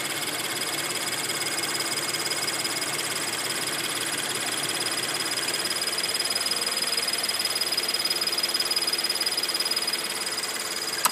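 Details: Scion FR-S at idle: high thin chirp about three times a second tracking engine rotation, from under the hood; source undetermined.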